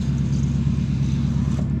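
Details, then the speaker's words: 1989 Chevy Suburban (5.7L 350 TBI), power window after replacing the multi-window switch: steady low motor hum with no catching or grinding as the glass travels down; runs smoothly. "Down, up, down, oh, that's actually a little faster than it was before. Beautiful."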